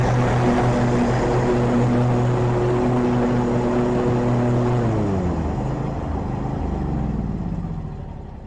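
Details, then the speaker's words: Riding mower with an electric PTO, running after a new battery, new spark plugs, a cleaned fuel line, a new fuel pump, and a cleaned carburetor. The weak old battery had kept the PTO off. Even drone that sags as the blade clutch engages. Normal running. "I'm gonna start the mower and you will hear that PTO engage because I got a new battery. Remember I told you a weak battery will cause your electric PTO not to come on."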